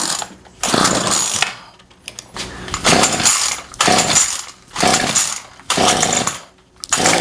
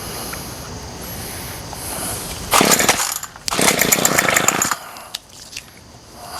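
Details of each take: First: Remington pole saw two-stroke that sat a year, fed premix by hand: fires in short raspy bursts then dies each time; it needs a carb rebuild and new fuel lines, fuel delivery fault at the carburetor. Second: Remington pole saw two-stroke, no cutting head fitted, after carburetor rebuild and fuel line replacement having sat a year: fires and buzzes high in two runs and starts cleanly; carburetor hard to adjust without load, possibly slightly rich.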